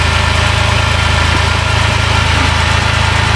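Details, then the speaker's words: 2010 Dodge Grand Caravan 3.3 that bogged down and stalled; after a replacement computer was fitted, engine in closed loop with O2 switching. Steady, even idle with a regular low pulse, no misses, knocks or hunting: normal idle. "I don't I don't think there's anything else to look at here it actually runs this lady will be happy"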